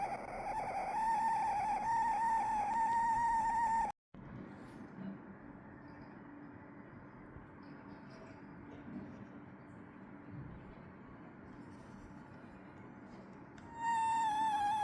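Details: Dell Premier Wireless ANC Headset WL7024, bought May 2024, while charging (the same noise also occurs when powered on after charging). A loud, steady high-mid whine with buzzy overtones cuts in and out: a malfunction of unknown cause.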